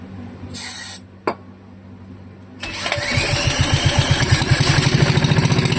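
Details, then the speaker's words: Wisconsin Model AB single-cylinder engine, a marketplace find, first start attempt with the throttle zip-tied at idle and points not cleaned: after some clanking it fires and settles into a slow, slightly uneven chuff of about 3.5 beats per second; wants to run. "Holy cow! She wants to run. Whew! I honestly figured I'd have to clean the points."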